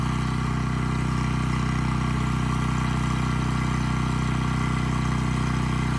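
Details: Abandoned Powermate generator, stored dry, good compression, no AVR, running without load: smooth steady drone without hunting or surging; output adjusted from about 135 V down to 130 V, normal idle.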